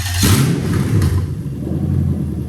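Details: LS430 3UZ-FE VVT-i V8 swapped into a right-hand-drive Lexus IS200 with a manual gearbox; short crank, catches quickly and settles into a smooth deep rumble without stumbling. Normal start.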